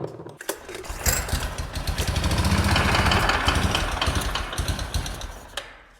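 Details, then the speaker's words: Big Bear four-wheeler ATV with no drive shaft fitted: engine revs and settles with a rough, uneven knock on the beat; likely the U-joint on the back of the transmission, not confirmed. "That knocking noise though is likely from the, whatchamacallit, the U-joint on the back of the transmission."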